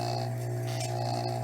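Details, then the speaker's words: Tsurumi 12-PN pump motor running after rebuild: steady, even electric hum with no grinding or rattle, bearings working fine. "You hear that? Nice, smooth, no grinding noises. The bearings are working fine. This is a sweet little motor, okay?"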